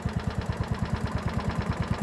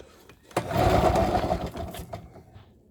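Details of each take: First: Ransomes Marquis mower with Kohler single-cylinder engine: steady, even low thump about eight beats a second with no misses or knocks; healthy idle. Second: Project machine, throttle lever freed past start position; two short bursts of pull-start cranking with no firing, after briefly starting and dying; owner checks whether it has fuel.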